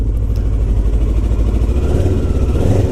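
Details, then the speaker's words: Kawasaki ER6f (EX650 Ninja 650) parallel twin just started cold: deep, smooth rumble held at a raised steady idle by the automatic choke, no rattles heard; normal cold-start fast idle while chasing a fairing rattle. "So it's running a little bit high res because it's only just started, and it puts the automatic choke on."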